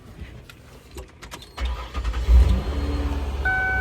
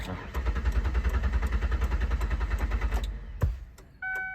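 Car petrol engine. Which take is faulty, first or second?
second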